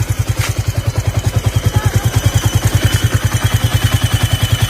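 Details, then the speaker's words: Old Yamaha Vixion motorcycle idling hot, above 100°C, with a steady thump and a thin high squeal that comes and goes; engine also runs rougher when hot; a common fault, cause suspected, not confirmed. "nah ini kondisi bunyi ketika mesin sudah panas ya atau diatas 100° celcius nah seperti itu belinya"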